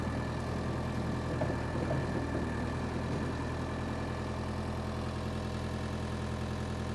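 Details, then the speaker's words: Power Trac 1850 diesel tractor after fluid changes, mower attached: steady even chug, about 200 firing thumps a minute, no misses or knocks; normal running under load. "that's what I'm talking about we got it running got the mower on there she ran great and the mower ran great"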